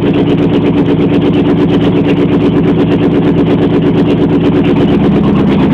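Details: Jeep Wagoneer cold start: harsh, very loud rapid exhaust pulses at an even cold idle; exhaust open at the headers with no muffling.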